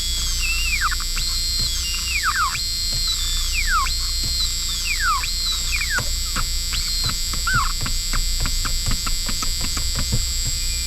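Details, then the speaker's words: 1982 Dodge Charger 2.2 with its 1980s Alpine head unit: repeated falling electronic chirps and sweeps over a steady buzz with no music; car stereo chirping and buzzing, stereo faulty. "Play us some dubstep. Oh, it's such a good noise. I love that. So good. I don't think our 80s Alpine stereo works too good."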